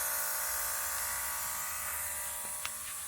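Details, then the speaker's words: Experimental aircraft engine with Rotec Aerosport single-point throttle body injector: electric boost fuel pump mounted inside fuel tank switched on before start; faint steady high buzz with light even pulse, no straining; pump running normally. "Hear the fuel pump going. The fuel pump's actually mounted inside the fuel tank"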